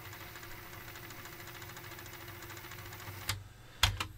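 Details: Aiwa AD-F460 cassette deck, after repair of no-tape-turning fault: steady whirring rewind with light mechanical chatter, then clean clunks as it stops at tape end; transport working properly.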